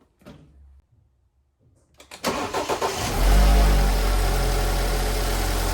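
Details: Fully cold start of an accident-damaged BMW 528i brought from America: it cranks briefly, catches and settles into a steady high cold idle that then comes down, with no knocks, ticks or strange noises. The owner had worried about the chain or bearings.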